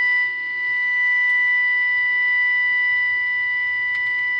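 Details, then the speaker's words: Five-transistor AM radio, motorboating and poor sensitivity, after repairing the second 455 kHz IF transformer that wasn't resonant, before alignment, fed a 455 kHz generator signal: loud clean steady tone, faint hiss, no motorboating; sensitivity much improved. "You can hear how much more sensitivity we already have. And again, I haven't even done the alignment."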